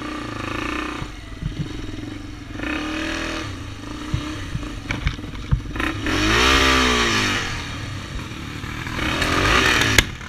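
Engine blips up and down with a stuttering, uneven beat and popping between revs; it's misfiring, cause not evident.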